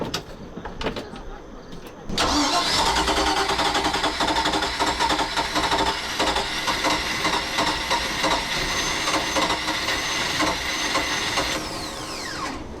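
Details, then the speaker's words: Used Mercruiser 5.7 V8 just swapped into a 21-foot Maxum sterndrive boat, carbureted, cold start; starter grinds about two seconds before catching into rough uneven idle; owner suspects the choke is acting up. "so I gotta work on the choke the choke is acting up so it would actually uh yeah I did not want to start cold"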